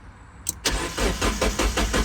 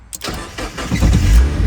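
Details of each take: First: Mazda Miata abandoned in a field for over 10 years, fresh gas added: starter spins the engine at about five even pulses a second but it never catches. Rats chewed the crankshaft position sensor, which may mean there is no crank signal. Crank, no start. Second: Mazda Miata abandoned over 10 years, after replacing failed fuel pump: short crank, then catches cleanly and settles into even low idle; now running.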